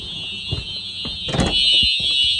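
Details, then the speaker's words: Simplex 4004 panel fire alarm system with Simplex 4903-9425 TrueAlert devices on a continuous test, heard from outside the building: a loud, piercing, continuous high-pitched horn with handling thumps. The system is in full alarm. "Wow, listen to that thing. Wow, that is one loud alarm."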